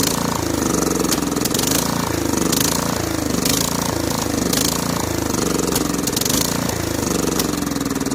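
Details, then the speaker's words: Snapper SR1433 rear-engine rider mower, sat 8 years, on choke: runs rough, surging and stumbling; poor running from a leaking fuel bowl and dirt in the carburetor, which needs soaking. "Yeah, there's a leaker. There was a bit of dirt in there somehow or another. Not sure how."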